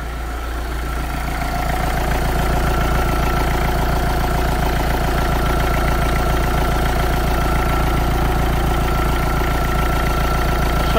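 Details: Renault Clio II dCi diesel after repair of a failed alternator pulley: steady, even idle clatter with no whine, squeal or rattle from the front belt; now runs quietly and smoothly, no longer noisy as before.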